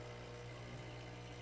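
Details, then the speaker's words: Profitec Pro 600 Quick Steam Plus dual-boiler espresso machine, first startup, force-priming by lifting the reservoir to burp air out: steady low vibration-pump buzz, tone changing slightly then even, no sputter; pump primed and pushing water normally. "You'll hear the tone of the pump kind of change a little. And what you're doing is you're kind of forcing that air to get the uh get it burp and air bubble out of it basically and just kind of pushes the water through."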